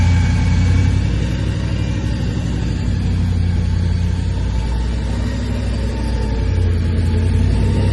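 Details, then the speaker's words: Blown 383 stroker V8 in a custom 3rd Gen Camaro IROC Z28 with twin Holley four-barrel carbs, after replacing the worn cam and failed lifters that kept it from idling; deep, steady idle with slight cam lope, no ticking or knocking. Healthy idle. "She's idling just fine, guys. Good job, Steve."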